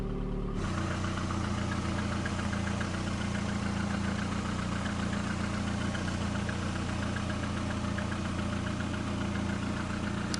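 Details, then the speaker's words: VAZ 2110-2112/Priora after repair, with new alternator bearings, alternator tensioner and all bearings replaced: smooth, steady idle with an even low drone and no whirring or rustling from the front; normal idle. "а вот он тихо работать шелесте просто тихонько все подшипники все абсолютно все замены"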